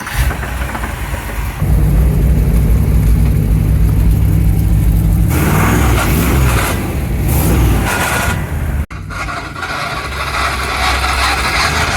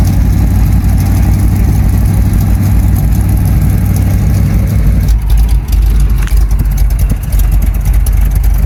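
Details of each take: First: Rough, uneven knock under idle as the 1975 Chevrolet C10 engine cranks, catches and revs; previous owner couldn't fix the knocking, cause not yet known. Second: 1975 Chevy C10 square body with a cammed V8, converted from automatic to manual; the seller couldn't fix a knocking engine. Deep, lumpy cam lope revving freely and settling back cleanly; sounds really good and healthy.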